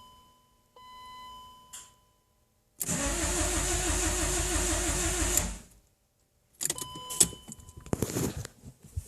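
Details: 1997 BMW 318i sat six months, new battery, spark plugs and valve cover gasket, spark checked: starter spins steadily about three turns per second for nearly three seconds, engine never fires; crank no start, cause unknown.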